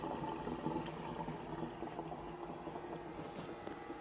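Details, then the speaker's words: TRFA01 battery-powered fuel transfer pump filling a car tank from a gas can, held non-vertical: fuel gurgles and splashes steadily over a faint even pump hum. It works normally, but the owner doubts the auto-stop works unless the pump is vertical. "I don't know if I want to trust the auto stop feature because it does say it has to be vertical and as you can see it is pumping away"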